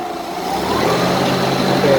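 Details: Mazda engine on a propane Yale forklift that had a crank-no-start problem, now running and being revved: it picks up cleanly and smoothly as the gas pedal opens, no stumble. The propane regulator diaphragm moves with the throttle; fuel delivery sounds healthy.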